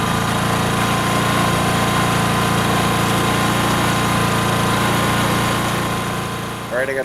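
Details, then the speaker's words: Briggs & Stratton P2200 generator restarted after overloading, now running about 500 watts: steady, even engine drone with a firm low hum and no surging or misfire; runs healthy under moderate load. "500 watts running through that thing right now and we'll just see how long it takes to burn"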